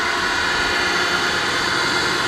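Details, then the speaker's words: Webb Wahcheon lathe on a VFD fed 220 V single phase, 20-second default ramp to 1800 rpm at 60 Hz: steady even motor hum with smooth high gearbox whir, no knocks or grinding; normal run at full speed. "I mean that's taking the full timeframe but there it is 1800 rpm"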